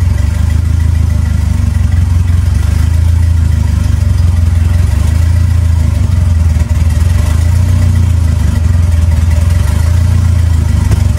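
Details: 2.3L turbo four Lima-swapped into Smokey on PIMPX batch-fire engine management, warming up after first start for base timing check; deep, steady drone holding an even note, no misses, knocks or hunting; normal running.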